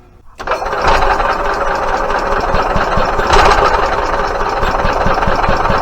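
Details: Yamaha G29 golf cart engine, rebuilt with rod, piston and rings; uneven mechanical clatter and knocking when running; cam, crank and balance shaft gears mismatched timing, fixed by replacing cam and crankshaft.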